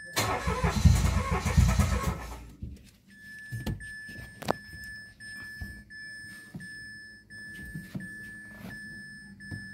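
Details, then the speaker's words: 2018 Mitsubishi Mirage G4 MPI sedan that had a long-crank no-start with no trouble codes; the throttle body was locked. After the fix it cranks briefly, catches within a couple of seconds and settles into a steady, even idle with no misses: normal start. "So ayun guys umstart na yung ano natin ah cranking lang na Mirad. So naging problema nga doun lang sa throttle body niya."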